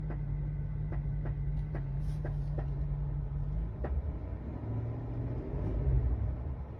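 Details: 2021 GMC Sierra 6.2 V8, second engine knock in under six months: rumble with sharp irregular knocks for the first few seconds, then smoother; internal knock, cause unknown.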